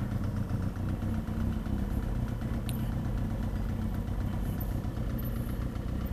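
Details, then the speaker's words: Motorcycle warming up at idle right after its first tune-up with fluids changed and the chain cleaned and lubed; steady, low, even putter with no knocks or rattles, quieter than before service. Normal warm-up idle. "but now i'm letting the bike warm up right now"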